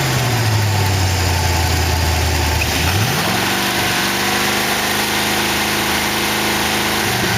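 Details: 1914 Dodge T-bucket engine warming toward thermostat opening, about 180 degrees, 40 psi oil pressure, water pump working: brief rev falls back to a steady, even idle with a smooth firing rhythm, no knocks or misses.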